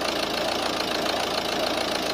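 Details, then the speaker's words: Volvo V50 1.6 diesel just after injector replacement and fuel-system bleeding; new injectors not yet coded to the engine computer, so it idles rough and lumpy with a knocking beat that won't settle: rough idle from uncoded injectors. "uh so I'm really glad that it it's fired up uh as you could hear it is still running rough this is because we didn't coat the injectors yet"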